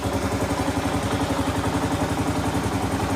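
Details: 2015 Kawasaki KLR 650 single, warm, idle set after choke adjustment for hard starting (choke wasn't opening fully); even, steady thumping idle with regular low pulse and no misses or clatter.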